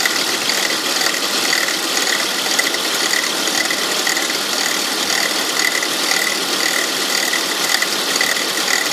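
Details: 2002 Volvo S80 2.3T on a cold morning start: fast, uneven ratcheting click about two a second from the engine, disappearing after about an hour of driving; workshop diagnosed a bad alternator pulley, and replacing it removed the noise.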